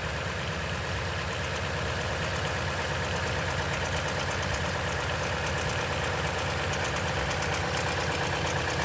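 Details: 2010 Toyota Tundra at 165k miles, oil changed every 5,500 miles throughout its life, cold start idle: busy, fast ticking rattle about three per second over the engine, suspected timing chain noise from the upper engine.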